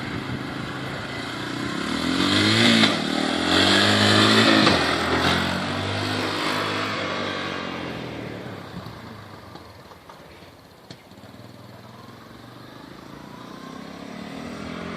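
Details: Restored basket-case 1985 Honda 250SX ATC three-wheeler, first kick start with the key on: the engine catches and revs crisply, then settles to an even idle, running clean and healthy.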